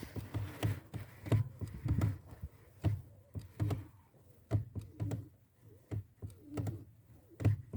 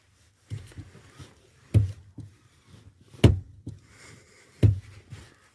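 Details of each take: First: 1992 Volkswagen Passat B3 (35i), heard inside the cabin at the pedal assembly: dull, dry crunching clicks with each clutch pedal stroke, about one a second, that fade on repeated presses then return; clutch pedal crunch from dry pivot friction. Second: 1992 Volkswagen Passat B3, clutch pedal after servicing the pedal area to cure crunching: a few soft thumps as pedal is pressed and released, no crunch or creak; quiet clutch pedal.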